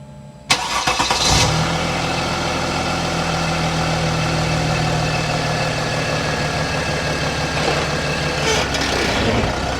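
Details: 2008 Mercedes-Benz GL320cdi diesel, started after muffler delete, radiator leak repair and coolant reservoir replacement: starter catches fast, then a loud, even idle with an open, barking exhaust, no misses or knocks; healthy.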